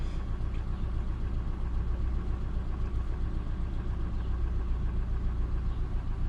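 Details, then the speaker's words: Ford F450 after repair of misfires on cylinders 1, 2, 3, 4, 6 and 8; steady even low idle with no stumbles or skips, running cleanly on all cylinders. "But we should be all good to go now. And sounds good."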